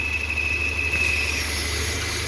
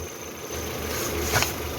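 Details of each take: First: Citroën C4 2.0 idling after a timing belt change, engine also misfiring: thin, steady high whistle that comes and goes, cutting out partway; vacuum leak through a ruptured PCV diaphragm, not the belt. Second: Citroen C4 2.0 petrol idling evenly with a steady low hum, no misfire stumble and no whistle, after replacing the membrane in the valve cover; normal idle.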